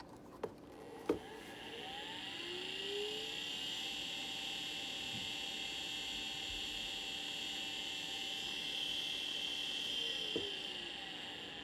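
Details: Old Maxtor hard drive, unresponsive, spins up into a loud, rough high-pitched whine from a worn spindle bearing.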